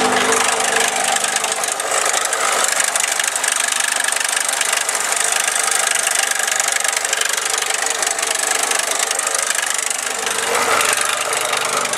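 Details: Four-cylinder engine running after timing chain and valves adjusted per service manual, compression now more even and exhaust note better: rapid metallic tapping about three to four per second, top-end noise of unknown cause.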